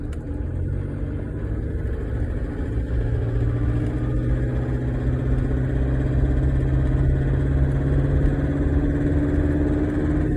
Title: LISTEN NOISY Till it WARMS UP